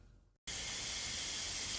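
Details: Boost leak test, intake system pressurized: quiet, then a sudden steady high hiss as pressure is applied; air escaping at a loose intake coupler clamp.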